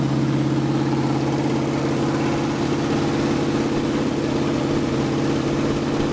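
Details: 1980 Dodge short-bed truck big-block V8, first run in 14 years, during cam break-in after converting from points back to factory electronic ignition; steady even rumble at fast idle, no misses or knocks, normal high idle.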